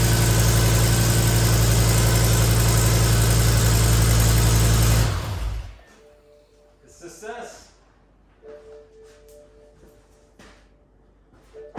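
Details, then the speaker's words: BMW M6 V10 first start after new rod bearings, rod bolts and VANOS pump: loud steady running for five seconds, no banging or knocking, then shuts off leaving quiet clicks; normal running. "but I mean hell the engine's sounded good other than the slot is all Sleek there's no banging no knocking no nothing"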